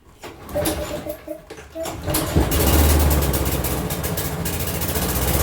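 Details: Toro Recycler mower model 20340 after replacing the carburetor and air filter with an aftermarket kit: a few pulls, then the engine catches and settles into an even, steady run; starting and running normally.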